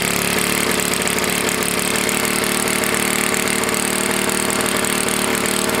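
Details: Tecumseh HS40 4 hp engine, long stored, carburetor jet partly cleaned and fuel screw about a turn and a half out: engine screams at constant high speed and never settles to idle; throttle plate stuck open.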